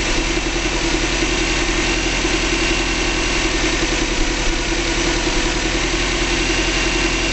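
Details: 2005 Subaru Legacy GT, first start after DIY engine rebuild, low on fuel: smooth, even idle with constant low hum and steady pulse, no knocks or ticks; healthy, no leaks found.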